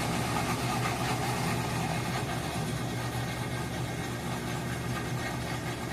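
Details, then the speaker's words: Whirlpool WTW4816FW3 top-load washer (bought July 2023, circuit board replaced three times) on rinse and spin, spinning without adding water: continuous coarse grinding with heavy low hum; drain pump later replaced; grinding noise during spin. "It's making that loud grinding noise."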